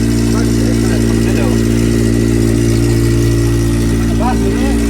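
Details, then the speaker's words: Honda Civic EJ coupe with K-series swap, first start on booster with car jacked up: steady idle with a faint quick puffing tick, three to four per second, from a loosely fitted back box; exhaust leak. "That sounds decent, to be fair. Not revving it yet. Does it sound a bit exhaust leaky or"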